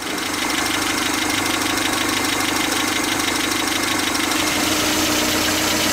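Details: 1977 Toyota pickup with a rebuilt engine but the original worn rocker arm assembly, before repair: a fast, even metallic ticking rides on a steady idle from the top end.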